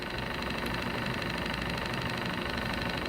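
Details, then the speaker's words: Old two-cylinder alcohol-burner-heated Stirling engine, cleaned and bearings oiled after showing resistance: soft, even chuffing about three beats a second with light hiss; runs freely and smoothly, nothing binding, still runs nicely after years. "it still runs very nicely after all these years"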